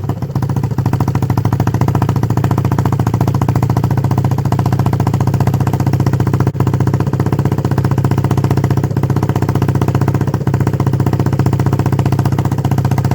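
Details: 1976 Honda XL250 (8000 km, frame powdercoated, front shocks overhauled) on first start after a 3-month restoration: a deep, even single-cylinder thump at steady idle with a loud open exhaust, no knocks or misses. Normal running.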